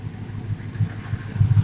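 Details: 2000 Ford F350 5.4 V8 with muffler, after intake replaced for coolant crossover leak: low, soft idle rumble with steady beat, nothing sharp above it; settled, healthy normal idle.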